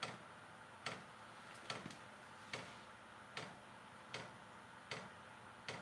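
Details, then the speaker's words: Vevor diesel heater on first start: pump at first silent, then crisp single clicks about every 0.8 seconds over a faint hiss as the dosing pump meters fuel normally. "I don't hear the pump turning on. That could be a problem. I think we shall. So far, guys, I'm not all that impressed. Hold on. That pump just Now the pump's working."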